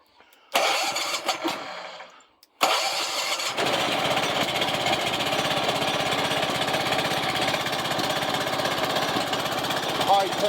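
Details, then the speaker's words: Old DR Power Wagon engine on workbench after overhaul (new head gasket, new carburetor, cleaned), jumper-wired start: catches after a couple of pulls, settles into steady, even run, no knocks or misses; runs great. "new head gasket new carburetor cleaned everything up good she runs great"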